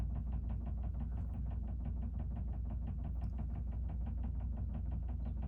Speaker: sorry if you you hear that weird knocking sound my dryer is going